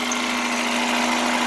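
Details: 1989 Chevrolet Celebrity 2.5 four-cylinder Iron Duke, automatic, 255,000 miles, after replacing the coolant temperature sensor below the thermostat housing: steady, even idle hum, no misses, knocks or leaks; normal idle, repair considered fixed.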